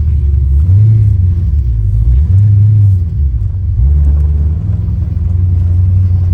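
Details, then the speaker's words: Ford Mustang Foxbody after distributor swap (pickup stator bad in both; plugs, cap, rotor, TFI replaced earlier): revs up and settles smoothly with no high-RPM miss at 4,000–5,000 RPM; normal running. "Not, I guess the pickup was bad in both of them, but because this thing's running like a top now."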